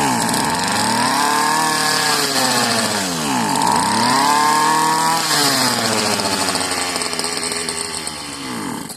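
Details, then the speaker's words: Second marketplace Homelite-type string trimmer, bottle-fed 2-cycle fuel; sticky throttle cable, and dirt blew out of the muffler on starting. A high, raspy buzz that surges and sags, sounding slightly off; the owner says it almost sounds hopped up. Cause unknown. "Oh, this one sounds a little funny. Well, she popped off and ran. It just sounds a little bit different."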